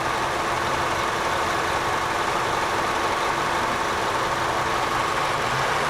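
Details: 2001 Honda Accord EX 2.3L at 113,555 miles at idle: uneven, lumpy idle with a faint irregular exhaust stumble and reduced fuel economy; misfire from worn plug wires, distributor cap and rotor.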